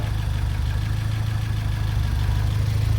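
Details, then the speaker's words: Turbo Fiat Cinquecento project car on a cold day, idling unassisted with no throttle before warm-up: steady, even low rumble with no misses or hunting; slightly rich but clean, with little smoke. "i'm actually pretty good let's go right be honest that's actually running pretty clean it's not smoking too much at all so the fueling can't be that bad off so that's a definite win"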